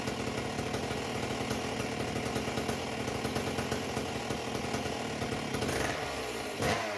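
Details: A Husqvarna 268XP chainsaw with a homemade expansion pipe, revving without a bar and not yet tuned; a raspy, burbling, blubbery, uneven two-stroke note. The carburettor is set very rich, though the saw feels zippy and responsive.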